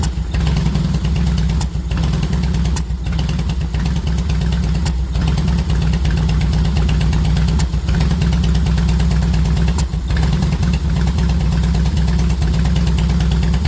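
Loping V-twin idle with a hiccup or stumble every second or two breaking the rhythm; the engine idles rough.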